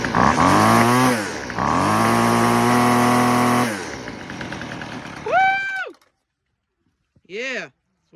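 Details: Weed Eater FeatherLight Plus FL26 two-stroke string trimmer with a new replacement carburetor, after idle screw adjustment: picks up cleanly to a high, steady scream, holds it, drops back and blips crisply; running properly.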